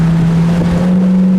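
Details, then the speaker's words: 1965 Mustang convertible, restored 2018, rebuilt 1968 302 CI V8 with 4-barrel carburetor, rebuilt automatic, 76,617 miles, accelerating on road test with wind noise: strong, deep, steady drone, no miss or knock, transmission shifts great; normal acceleration. "Let's see what she does, shall we? Oh! It ain't no joke. Nice running car, guys. Transmission shifts great."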